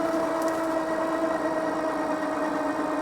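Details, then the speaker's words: Mokwheel Obsidian ST 2.0 e-bike unlocked, on throttle only up a steeper hill: a thin, steady electric whine over road hiss eases lower as speed falls from 24 to 17.2 mph; the hub motor is working normally under load. "Now we're going to hit the steeper part. And now a little steeper here. You can hear it winding back down."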